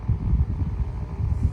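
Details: Vintage mid-1970s Kou Horng 6-inch royal blue desk fan in mint condition; a low, uneven throbbing hum persists even when the fan is held or tilted, and the owner suspects dry or bad bearings or worn thrust washers, not confirmed.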